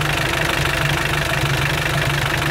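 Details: Mitsubishi L200 Sport GL diesel at idle: a steady, regular knock on every firing stroke and heavy rough churning. Worn piston rings and cylinder liners, with heavy blow-by throwing oil out of the filler cap.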